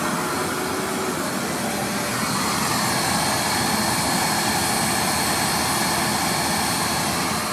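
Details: Riccar R25 vacuum running after the broken power cord was replaced. A loud, steady, airy roar that stays even throughout with no surging, rattling or dropouts: the motor runs properly.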